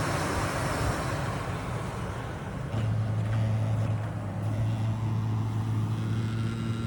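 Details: HVAC system heard during a home inspection: a steady low-pitched electrical hum starts partway through over background rumble and holds constant; an annoying drone of unknown cause.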